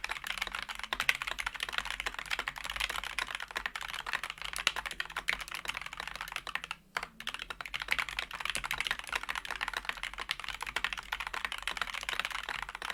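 Quick, even key presses with soft, muted clacks and no scratch or spring ping; a smooth, well-tuned keyboard.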